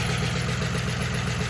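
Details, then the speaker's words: Worn engine with 93,000 original miles, started on a jump box with no battery and driven across the yard: brief, loud, rough idle with a coarse clattery pulse, zero oil pressure, clearly hurt. "She has a 0 oil pressure, which is exactly what it sounds like."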